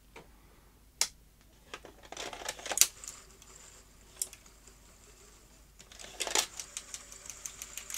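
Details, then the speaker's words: Sony Betamax SL-T30ME front-loading VCR after reassembly: jerky clicks and whirring from the loading mechanism, never a smooth cycle; pinch roller solenoid pin possibly on the wrong side of the swinging arm; mistimed tape loading mechanism. "no that's all wrong isn't it right when reassembling i may have done this wrong earlier"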